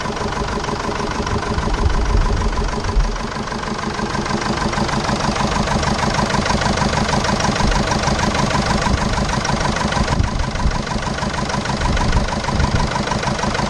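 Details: 2005 Jeep Liberty CRD common-rail diesel with past overheating: uneven, lumpy idle about twice a second, apparently running on three cylinders; owner suspects a dropped cylinder possibly linked to overheating, unconfirmed.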